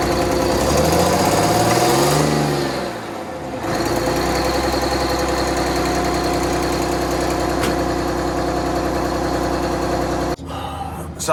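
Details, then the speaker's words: Bus conversion diesel, cold-weather start: loud, uneven idle with a lumpy, stumbling beat that steadies after a few seconds. One bank won't light; owner plans to check under the valve cover. Cause unconfirmed. "definitely that one bank just doesn't want a light so um i don't know some point i need to take off that valve cover and really look at it"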